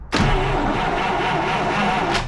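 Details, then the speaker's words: 1949 Buick Roadmaster hearse, sitting about 6 years, cranks but won't start: about two seconds of steady cranking that never catches; no fuel impulses at the disconnected pump outlet, so the pump isn't delivering, or the fuel line is plugged or has a valve. "No, there's no impulses coming out of here whatsoever. So the pump is not pumping. Either that or the fuel line is plugged completely somewhere, or there's a valve in it."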